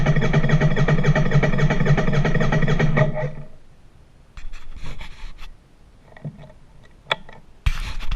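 Steady fast starter churn, about three to four turns a second, stops after three seconds without catching; engine cranks but won't fire.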